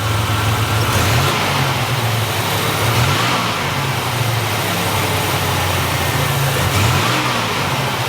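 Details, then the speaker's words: 1987 Buick Grand National after new fuel injectors, fuel pressure regulator and ECM chip, regulator still leaking: steady idle then clean pickup on small throttle blips, only slight hesitation versus before; throttle response much improved. "Just by touching the throttle a little bit, it has a little bit of a hesitation, but not like it was before. So definitely a good thing."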